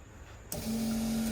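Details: Volvo 245 with a turbo swap, fuel pump primed at the back of the car, fuel line off: a sharp click then a steady low electric hum of even pitch; pump operating normally.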